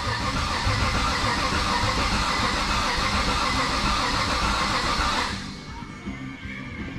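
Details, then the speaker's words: 1969 Chevelle on the starter after wiring the systems, building oil pressure before first start: even, quick rhythmic cranking for about five seconds, then stops; normal cranking, reaching 60 lb of cranking oil pressure. "that took a while but hey 60 lb of cranking oil pressure that's pretty damn decent so we are good"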